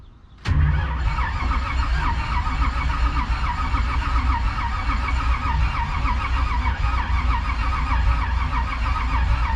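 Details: Steady, even starter cranking with no firing on a 1968 Chevy Bel Air small-block sitting 8 years, using jump-start mode; turned over to build oil pressure, gauge reaching almost 20 psi.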